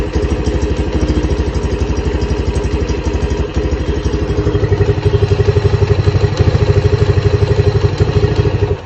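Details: Lifan CityR 175, 10,800 km, cold, first start after a cylinder and piston replacement for a knock, carb flooded so it won't idle: steady even thumping about four beats a second, no knock or rattle. Normal running.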